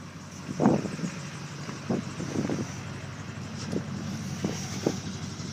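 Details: 2002 LB7 Duramax diesel that ran a minute and died after an unplugged winter start and would not restart. After a new fuel filter and re-priming the fuel system: steady, even idle with soft clatter, no stumbling or hunting: normal idle.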